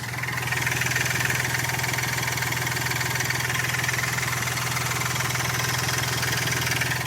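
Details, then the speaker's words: Hyundai Grand i10 diesel after engine rebuild, run about three hours, no leaks, air filter not yet fitted; steady even clatter at idle, no knocks or misses; now smooth, normal idle. "और अब गाड़ी का sound देख लो कितना smooth हो चुका है"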